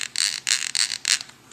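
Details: Rear differential of a Losi 8IGHT 2.0 nitro RC buggy while being shimmed with bearing inserts, turned by hand: gritty, high-pitched rasping in quick repeated bursts, a rough grinding; cause suspected, not confirmed.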